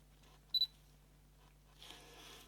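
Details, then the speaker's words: Canon EF 28-80mm f/3.5-5.6 II zoom lens on a Canon 500D: two focus beeps, then a harsh, raspy whirr as autofocus drives dry plastic gearbox cogwheels lacking grease; fixed by greasing axle ends with lithium grease. "yeah you can hear really noisy sound well i took a look inside the lens just to see what what's happened actually and it looks like it's the the gearbox somewhere over here that has the problem"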